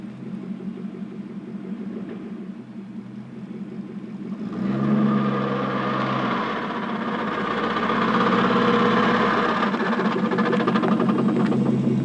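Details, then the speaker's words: Porsche 928S cold after sitting about four hours and idling about one minute: in reverse only, a rising chain-like clatter like a roller coaster chain lift, absent when warm, present for about three months; transmission suspected to need rebuild or replacement. "To me, it sounds similar to well, a roller coaster going up a chain lift."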